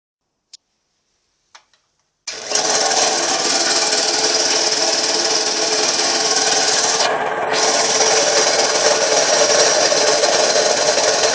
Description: An Eagle 2-stage compressor I bought off Craigslist. Turns out, it has a bad rear crank bearing.